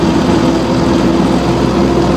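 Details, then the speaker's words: Drivetrain after loading the rear axle with a 200 kg drum of used oil: steady, even engine and driveline hum, no knocks or clunks; the knock felt near the gearbox is traced to the rear axle half-shafts, possibly from the lifted suspension. "Вот, и движении теперь никаких стуков. Ничего не стучит, не гремит."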